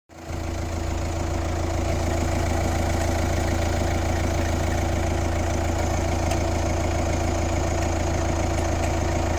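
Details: Kia Ceed 1.6 CRDi 115 D4FB diesel idling with a weird noise: a steady low drone with a faint uneven pulse of about three beats a second.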